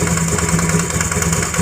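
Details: Honda Grazia BS4 scooter idling with a fast, sharp ticking puff on every firing stroke; spark plug loose, leaking compression.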